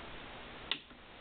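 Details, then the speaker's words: MFJ-4245MV power supply that sometimes won't power up. There is one sharp click at switch-on, then only a faint hiss and no fan or hum. Per the manual, an internal breaker trips above 45 A and resets after about 30 seconds. The cause of the tripping is unclear. "lights bump nothing now what i'm told is that uh according to the manual wait about 30 seconds it'll uh trip a little breaker in there and start itself back up"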